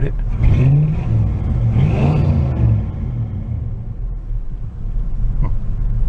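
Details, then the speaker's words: 1986 Oldsmobile Cutlass Supreme Brougham with a carburetor, running after sitting 5 years. A lumpy V8 idle stumbles and surges unevenly, rumbly and stuttering, but smooths out when revved. Old gas is suspected but not confirmed. "a little rumbly it's stuttering quite a bit"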